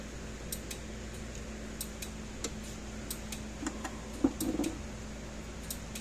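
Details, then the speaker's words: Gallagher solar fence energizer after repair and reassembly, battery slightly low but enough to run: crisp, sharp ticks over a quiet low hum, each pulse clean and even; normal energizer pulsing. "all right it's flashing my battery is a little on the low side it's not fully charged up because it is enough to make the unit turn on"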